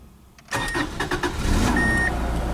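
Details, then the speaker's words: 1995 Subaru Legacy just after fuel pump replacement, checking for fuel leaks: a short chime, then the starter briefly turns and the engine catches at once, settling into a smooth, even idle with the new pump heard running; normal start. "I think I let that primary thing start it right up well it's right now and I hear a pump running"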